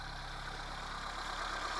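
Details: 1980 Honda Civic on original miles, running after a fuel line change: even idle with a light, fast ticking riding over the engine note and no heavy knock. This is relatively high valve clearance, normal for these engines.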